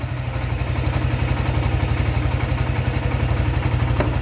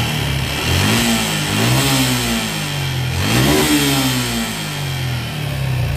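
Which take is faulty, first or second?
second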